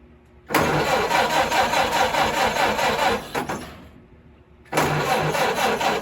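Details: 1929 Ford Model A Tudor four-cylinder, rebuilt engine first run after 40+ years, carburetor still needs adjustment, radiator not holding water: catches quickly, runs with even steady beat, stops, restarts cleanly; healthy start.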